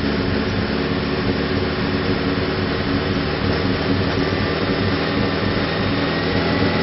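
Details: Nissan ZD30 diesel idling, recorded at the tailpipe: uneven, stumbling exhaust pulse from a misfire, with lots of clearly unburnt diesel coming out the rear.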